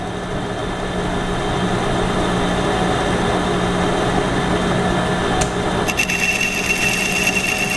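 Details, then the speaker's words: Lathe roughing cut in 6061 aluminium with a hand-ground right-hand HSS tool bit, 0.040 in depth, increased feed; even whining cut and steady hum with light ticking as chips break into small curls; good roughing, free cutting. "you go now the chips are breaking which is okay which is good for roughing so by increasing the feed rate we can actually make good chips like that"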